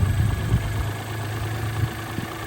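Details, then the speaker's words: Mitsubishi Mirage after fording deep water (water over seats), fuel pump cleaned and fuel line refitted: uneven, lumpy idle with stumbles and dips, misfiring on water-contaminated fuel. "It doesn't look better. It doesn't sound better. There we go. Burn that stuff out of that rail."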